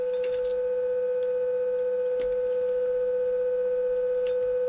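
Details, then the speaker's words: Carlsbro Cobra 1100 200W PA amplifier after repair for blowing fuses, tested with a 500 Hz tone: a clean, steady mid-pitch tone with a slight warble and no distortion or hum; this channel works normally. "It's kind of warbbled effect. I can hear it. And you can see that on the scope there. So, that channel's okay."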